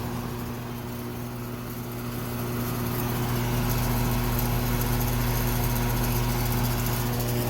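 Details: Older home A/C outdoor unit in Florida after replacing seized condenser fan motor: steady, even hum with low electrical drone and smooth airflow, no dragging or rubbing; smoother than before; fan running normally.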